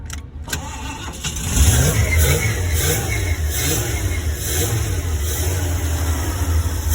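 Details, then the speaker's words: 1975 Ford E100 van restarted after about 20 years, carburetor primed, gravity-fed fuel to the fuel pump; brief cranking, then catches and settles into a steady, even low idle; pump working, runs cleanly. "okay that was that was really nice to hear that run"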